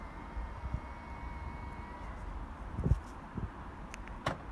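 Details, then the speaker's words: 2016-2019 Volkswagen after key fob CR2032 battery replacement, remote button pressed; short steady electric motor whine about two seconds then soft clunk as mirrors stop; normal power folding mirror operation. "working well you can hear those electric mirrors moving in and out every time we press it"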